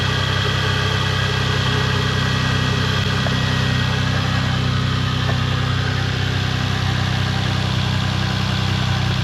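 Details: Toyota Supra MK4 2JZ-GE after split exhaust manifold was welded and refitted with exhaust, heat shields and induction kit: smooth, even idle, steady low rumble, no ticking or puffing; normal idle after repair.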